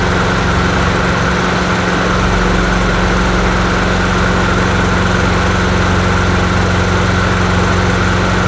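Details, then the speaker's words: Bolens 22-inch push mower with 4.5 hp Quantum single-cylinder engine, free non-runner revived after cleaning: steady even beat, no misfire or surging; normal running, though it needs an oil change. "well it sounds good I think it definitely needs an oil change"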